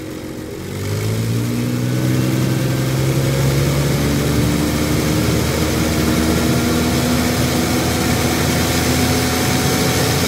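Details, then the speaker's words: Komatsu forklift, Nissan TB45 inline-six, losing power at higher RPM; with oxygen sensor removed and vacuum at 20 inHg, engine revs from idle strongly and breathes freely through open sensor port, confirming restricted exhaust, most likely plugged catalytic converter. "so this is now going to be a plug ex sauce now whether it would be the um catalytic converter which more likely is what it is"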